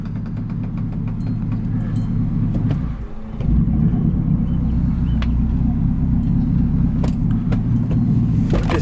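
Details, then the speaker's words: GMC Yukon with a new 7–9 inch lift, not driven for a while: the engine rumble suddenly sags and almost stalls, then recovers to a steady run; cause unknown. Near-stall. "whole truck just about turned off what was that"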